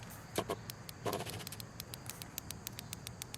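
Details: Porsche 944 fuel injector, previously frozen, freed by a 12-hour Hot Shot Secrets cleaner soak and tapping, pulsed with battery power: crisp even ticks about six a second; injector opening and closing freely.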